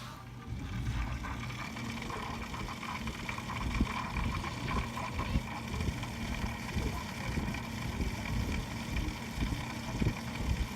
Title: Pc grinding noise